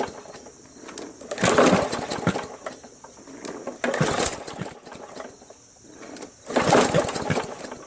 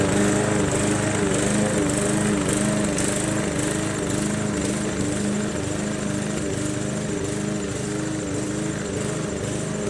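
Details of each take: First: MTD Yard Machines 20" push mower, Briggs 300E, long stored in garage, primed: three pulls give brief sputtering gurgling bursts that die, won't catch; owner first suspected timing/sheared keyway, then found water in carb bowl and gas tank. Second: MTD Yard Machines 20" push mower, Briggs 300E, cutting grass after carb clean, throttle spring adjustment and draining water from the gas tank: steady buzzing beat easing only slightly under load; normal running under load.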